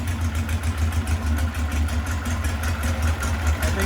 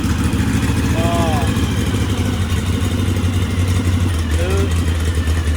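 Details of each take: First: VW 1641cc engine with counterbalanced crank, C35 cam, electronic ignition pickup, no MSD, running Weber IDF 40 carburettors, untuned: low lumpy note surging and sagging as if fuel-starved; lean, jets need more fuel, 44s judged a better match. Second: 1641cc engine with counterbalance, electronic ignition module and Weber 44 IDF carburetors, linkage still to be fitted. Low, steady, even idle that holds its speed, a normal idle. Timing still to be checked.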